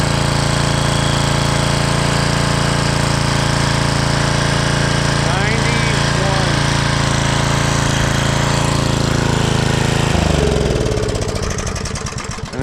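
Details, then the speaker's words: 1995 Briggs and Stratton generator, just after carburetor cleaning and reassembly, started with the choke on. It started right up without much smoke and runs an even, steady single-cylinder drone with no misses or surging, then winds down: normal running. "as you see it started right up didn't smoke a bunch of nothing"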